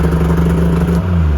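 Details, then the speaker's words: 2001 Yamaha Venture snowmobile after cylinder repair and carb clean, electric key start with throttle up, maybe half choke; catches and settles into a steady low idle after a quick rise; starts like a beauty. "Starts like a beauty, honestly."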